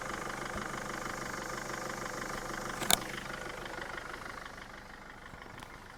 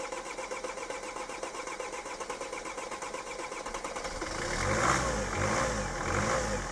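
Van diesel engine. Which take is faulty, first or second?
second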